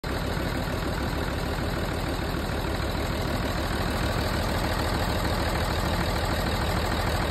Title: Tdv6 rough idle